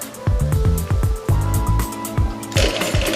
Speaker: as the Power Pack Unit starts up you'll hear a little chattering noise nothing to worry about that's a normal sound to start inflation